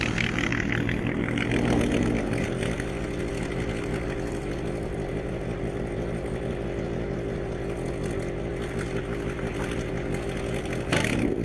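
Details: Etesia Bahia ride-on mower while mowing: engine runs smooth and steady with no stumbles, rattles or hunting. Normal running under load.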